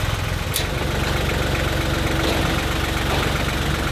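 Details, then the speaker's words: John Deere 1050 tractor (Yanmar 3T90T three-cylinder diesel), running after repair for coolant in the oil and with the injection lines bled, warming up. A steady, even low chug with no knocks, misses or hunting sounds healthy; the alternator is not charging (12.9 V). "well definitely sounds good no leak on the injection lines"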